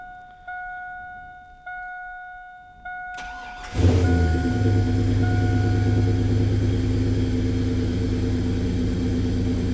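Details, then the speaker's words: S10 with new bigger intake, untuned, small fuel leak: cranks, catches quickly and settles to a steady but fast idle; owner suspects the bigger intake causes high idle, which drops once warm. "and it does idle a little bit higher too which i think that could just be the the bigger intake it does tend to come down once it warms up"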